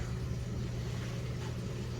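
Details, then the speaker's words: LG Direct Drive HE washer in like-new condition, about halfway through the cycle, draining water: steady low pump hum with water rushing through, even and fast, no rattle or grinding; drain pump healthy. "All right, about halfway through, it's draining the water out. You can hear it draining out nice and fast"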